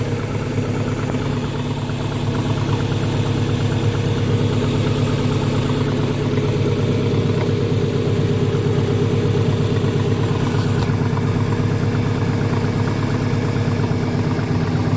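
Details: 1998 Subaru Impreza 2.5RS idling: steady low knock, about three beats a second, over the exhaust rumble. Owner suspects rod knock or piston slap; not confirmed.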